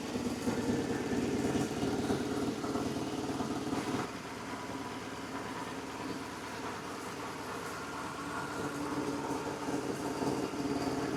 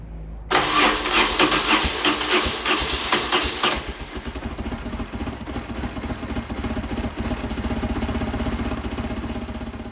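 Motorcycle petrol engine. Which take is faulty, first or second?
second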